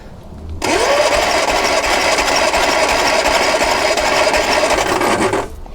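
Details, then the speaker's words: Lotus Twin Cam, cold after months unused, compression test on cylinder 2 with throttle jammed open: steady starter whir with even pulses about three a second, reading about 160 psi; healthy compression, though the test should be done hot. "that one's a bit better. That's what, 160."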